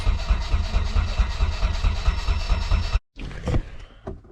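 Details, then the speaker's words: Nissan S13 240SX during engine swap wiring, fuel pump running, ECU powered: starter cranks steadily about two beats per second but never fires; main igniter-to-distributor plug was left unplugged. "examining the engine bay I noticed I did not have the uh main like igniter to distributor plug plugged in so that would explain why it wouldn't start"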